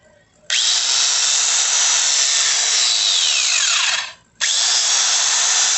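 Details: Angle grinder after repair, brought in for a rubbing noise and burning smell: a sharp high whine spins up quickly, holds steady and even, then coasts down. Smooth, with no rubbing or grinding.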